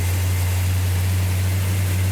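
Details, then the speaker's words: 1972 Plymouth Duster 340 replica V8 on its first start, running cold with choke held: deep, steady rumble with even low note, no knocks, misses or ticks; engine sounds healthy. "Sounds healthy. What? Sounds healthy. What? Oh, it sounds good."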